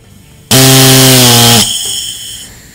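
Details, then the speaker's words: Feuling #9010 pressure test tool on a Harley-Davidson Twin Cam cam plate: a buzzing pop-off, then a fading hiss. After reseating the plunger and raising pop-off pressure, the relief valve still leaks at low pressure, though better. "we raised the full Popoff pressure but you can hear it still leaking down low although it's better than the previous one it's still leaking"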